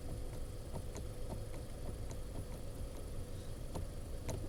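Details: Steering knock at speeds up to 40 over rough ground (gravel, potholes, side slopes): quiet cabin with road rumble and sharp irregular knocks at low speed; source unclear, ball joint thought unlikely, owner suspects the steering rack needs tightening.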